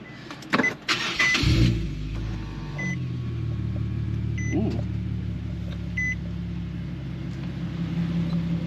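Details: Nissan VQ37 engine, first start after swapping ISR high-flow cats for Berk high-flow cats, retune still pending: brief crank, catches cleanly and settles into a steady, even idle with a deep exhaust note. Normal start and idle.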